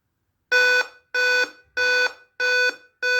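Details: Dell Inspiron 5558 laptop gives five even shrill beeps about two-thirds of a second apart at switch-on; the CMOS battery is dead, and replacing it stops the warning.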